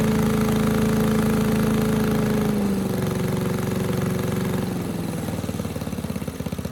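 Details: 1984 MTD air sweeper with flathead Briggs & Stratton 5 hp engine, 36 years old, first pull after tightening loose plug wire: steady governed drone dropping smoothly to even slow idle, no misses; normal, though high speed possibly a little slow.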